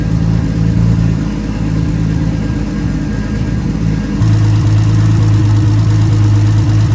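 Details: Nissan R32 RB20 straight-six, first start in 3 years, open downpipe with no exhaust: loud, steady low idle, then a firmer, evenly held rev with no knocks or misses; engine sounds healthy, normal idle and revving.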